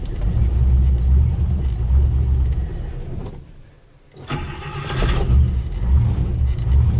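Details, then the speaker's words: 1956 Buick 322 Nailhead V8 barn find, first start with fuel pump plugged in. Low, soft, even rumble with a steady beat and no knocks or ticks; carburetor may not be fully happy, but it idles quietly and smoothly. "It's so quiet. I don't even know if you guys can hear the thing running. Wow. I don't think the carburetor's too happy, but it is idling. Sounds good."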